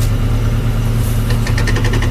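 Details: Suzuki Samurai with PowerTrax Lock-Right lunchbox locker, Firestone Winterforce tires, out of gear and rolling: quick even clicking about eight per second from the rear over low idle; normal locker ratcheting.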